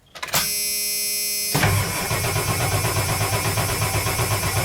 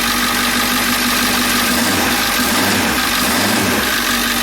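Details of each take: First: Ford E350 van, 7.3L diesel, cranked from inside the cab with fuel gauge at half tank; starter cranks steadily at about four beats a second but never catches; crank-no-start caused by a dead short blowing the ECM fuse. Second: Ford E350 van with the 7.3L diesel, after a crank-no-start from a short blowing the ECM fuse was fixed: glow plug relay clicks, then it starts into a steady, even diesel idle without misses or knocks.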